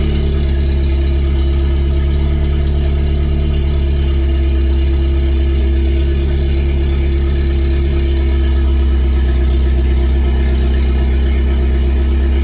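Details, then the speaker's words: Recently acquired John Cooper Works Mini Cooper idling after start, exhaust shown: deep, steady, even burble with strong low rumble and no misses; owner notes it is somewhat loud but it sounds healthy; normal idle. "Pakita ko rin sa inyo guys yung tambucho nitong Mini Cooper natin. So medyo maingay ha. Yung naririnig ninyo."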